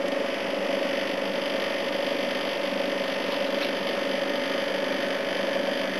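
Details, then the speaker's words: A/C unit on its proper run after its compressor sat for oil (sounded oil-filled on an earlier try): steady fan rush with even compressor hum, leaves sucked through, head pressure building, no rattles or clunks; running normally. "A few leaves and shit getting sucked through. It's definitely working. Cool, I've got some head pressure now."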